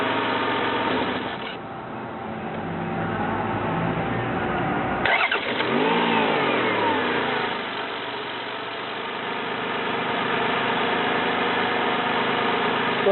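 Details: 1993 Toyota Camry, 206k miles, automatic: smooth, even engine rising cleanly with throttle and settling back without knocks, misses or rattles; runs smooth.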